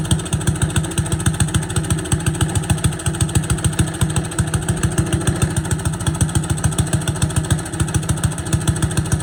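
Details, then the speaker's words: Boland's 3.5 chipper shredder, unused for at least 20 years, running on its own gas tank without starting fluid, fuel line dripping slightly: small single thumps at an even beat of about three and a half per second, holding speed on its own; running normally. "But it ran off its own fuel source and only leaks a little bit of gas, so it's only slightly likely to, you know, just catch on fire."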